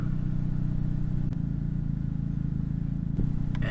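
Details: 2008 Toyota Yaris steady low even idle, no stumble or ticking, just a couple of brief clicks, after replacing the upstream O2 sensor for code P0031 (bank 1 sensor 1 heater circuit low); check engine light gone, rescan shows no faults.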